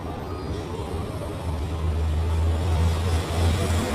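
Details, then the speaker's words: LG dual inverter split AC turned on after a chemical wash service, with refrigerant released back into the indoor unit: a steady low hum and even airy hiss as cooling starts, running smoothly and normally. "On చేసిన cooling start అయింది కదా"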